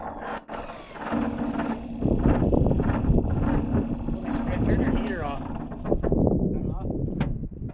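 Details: 1983 Chevy C20 pickup from a ranch: engine catches and runs rough a few seconds, then fades and dies soon after starting; owner suspects it is out of gas, not confirmed.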